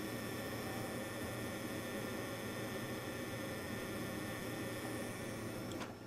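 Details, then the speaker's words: Faint steady electrical buzz with thin high whine from a Peltier wine cooler's failing control board, recorded with the top board unplugged; the previously replaced top board did the same before failing. "So I'm going to unplug the top board, which controls all this, so that'll be quiet. And then hopefully the camera will pick up the sound that this board is making."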